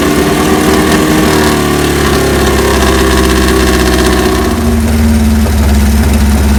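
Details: 1978 Kawasaki KZ1000A project bike, possibly original miles, first hot-wired startup with a small gas leak: inline-four catches and settles to a steady idle, revs cleanly and drops back without misses or knocks; normal.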